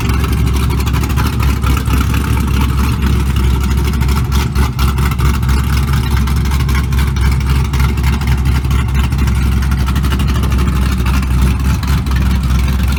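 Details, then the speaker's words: LS3 V8 in a 1975 Monte Carlo with a cam, wireless exhaust cutouts switched to loud mode: loud, deep, choppy idle with heavy low rumble rising with throttle blips; healthy cammed V8 idle and revving. "We're gonna switch her on to loud mode for this. We'll fire up, we'll hear that cam."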